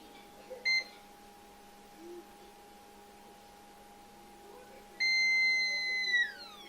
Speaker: Como podemos ver, está en corto, suena a continuidad. Ahí, ¿escuchan? Mi multímetro está con baja batería, por eso se escucha como un chillido.